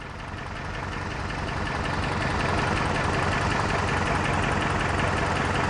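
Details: Toyota 4Runner at idle with an uneven loping beat about three times a second instead of a smooth hum, a misfire diagnosed with a test light; initially thought to need a clutch job.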